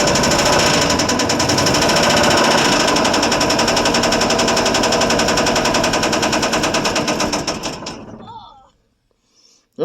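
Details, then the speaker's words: 1973 Ford F100 390 FE V8, cold start after about 30 years sitting; engine had been stuck and water was drained from the pan. Loud hard metallic knocking about 220/min despite oil pressure, then it stops abruptly. Hammering bottom-end knock, possibly locked up or blown. "Yeah, but it was hammering right off the bat. Even though it has oil pressure according to the gauge it was coming up."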